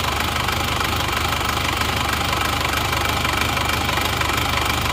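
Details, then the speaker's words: Isuzu Panther automatic diesel after cylinder liner replacement: blow-by gone, but idle clatter has a slightly lumpy, uneven beat; aging injection pump not yet adjusted, better at a pump specialist. "jadi untuk kompresinya sudah enggak ngobos tapi untuk hidupnya ini kurang rata kalau dikasih enak sih sebenarnya kurang ratanya ya"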